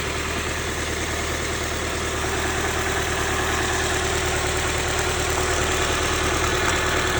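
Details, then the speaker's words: 1995 Honda Civic D16Z6 1.6 L inline-four, misfiring badly, owner suspected leaky injector: injector unplugged, idle turns lumpy, stumbling about three times a second; performance changes a lot, so that cylinder's injector is not the cause. "You can see in the camera and you can hear that that performance changed a lot. So, it's not that injector."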